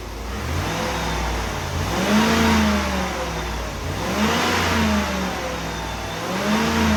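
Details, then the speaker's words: 1995 Oldsmobile Aurora after replacing a bad coil pack that caused a severe misfire: clean blips from idle, revs rise and fall smoothly without stumble or the former vibration; no blue smoke. "Yeah, it's hard to tell on camera, but it is really smooth now. There's no vibration. Before the engine would just vibrate."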